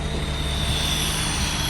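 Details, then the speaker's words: Hydraulic CAS 40P IMT air compressor with only 146 hours on a 2014 International 4300 diesel service truck, building air pressure: steady, even roar with a constant low rumble and no knocks or rattles; running smoothly. "CAS 40P IMT hydraulic air compressor. It's only showing 146 hours. Very low hour machine."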